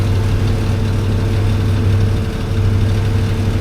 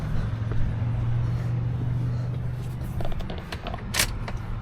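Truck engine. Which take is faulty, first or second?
first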